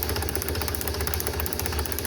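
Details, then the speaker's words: 1949 Ford F1 truck, sitting 20 years, spark test cranking with two plugs grounded out: even rhythmic snapping clicks showing good spark. "but you can hear the nice rhythmic clicking."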